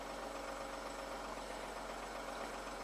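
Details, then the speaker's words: 2017 Jeep Rubicon (P0390, P0394) at warm-up idle while the cats heat, bank 2: a fast, uneven metallic rattle over the engine, with cam 2 bleeding off. VVT cam phaser rattle from low oil pressure. "so on a cold start or warm start when it's warming up the cats and right now it's rattling"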